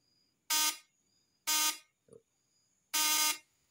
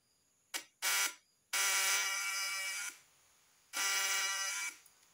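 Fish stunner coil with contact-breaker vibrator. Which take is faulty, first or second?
second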